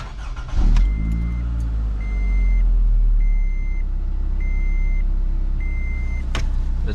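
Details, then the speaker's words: 2011–2016 Scion tC after spark plug replacement: quick start, smooth steady idle, no misfire, cabin chime beeps; before, idle RPM dropped and vibrated the car. Normal start and idle. "Yeah, runs great. I think it runs a lot smoother, because before, like when it would idle, it would kind of vibrate a little bit,"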